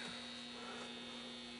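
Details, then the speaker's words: Philco 39-30 radio just recapped, first power-up on a variac turned low (about 290 V vs 325 V spec), speaker connected, band switch on manual AM broadcast, no station tuned: steady low hum from speaker; mains hum. "i actually need some sound can you hear a hum coming out of the speaker"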